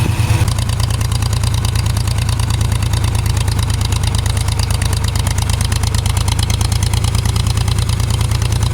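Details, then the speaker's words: Ford 3000 three-cylinder tractor after solenoid replacement, just started: heavy, lumpy idle with uneven beat, running on only 2 cylinders; recurring issue that clears after running a few minutes, cause unknown. "The Sounds like it's only running on 2 cylinders. Well, let's take it for a ride. It's done this running on 2-cylinder thing before, and after it runs for a minute, then it takes off."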